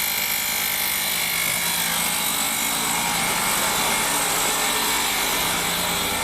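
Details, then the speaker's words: 2006 Ford Escape after dead battery and electrical faults: at idle with a new alternator charging 14.3 V, a harsh, steady scraping hiss, no knock; the alternator pulley is rubbing its own case. "yeah i'll pop the belt off see what's see what's not happy this is unbelievable the pulley is basically rubbing the case of the alternator that's ridiculous"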